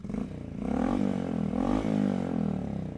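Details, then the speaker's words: 2024 Honda exhaust, heard in comparison with a modified 1978 CT90: smooth, even low burble rising and falling cleanly with throttle, no misses or rattles; more refined and civil but still throaty, normal exhaust. "but still throaty enough to sound cool."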